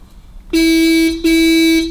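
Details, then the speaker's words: 1934 Chrysler Airflow horn, needs adjustment, possibly assembled wrong inside: two buzzy half-second blasts with a raspy tone that sags near the end; weak horn sound. "It is making a noise, Yeah. but that'll be assembled wrong somewhere."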